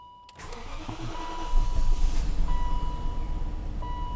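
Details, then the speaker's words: 2001 BMW 740iL (E38): warning chime, then starter cranks about three turns a second without catching; bad smell noted, owner suspects a fuel issue, unconfirmed. "no it might not even start I get to fuel issue"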